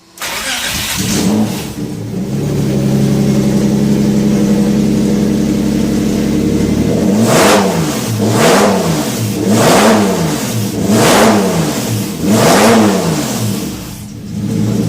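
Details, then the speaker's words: Porsche 917/10 replica engine with Megasquirt (log judged fine), small fuel pump leak noted; settles to a steady idle, then five quick clean blips rising and falling smoothly, no misses or knocks; normal idle and revving. "Don't want to wake up the neighbors. Okay, so that's going vroom vroom."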